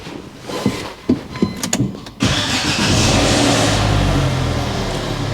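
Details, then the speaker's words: 17-plate Vauxhall Adam Energize, 45,300 miles, salvage auction car, jump-started with a boost pack: about five uneven cranking pulses over two seconds, then it catches and settles to steady idle; engine sounds fine. Normal cranking and start. "engine sounds fine engine sounds fine"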